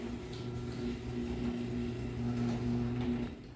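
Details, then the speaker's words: Garage door opener model 3585 on big door, replacing an 8550; quiet even motor hum with soft steady drone and only faint grind on the way down, considered normal; runs much quieter than the 8550. "So it does grind a little bit, but that is so much quieter when you compare it to the 8550."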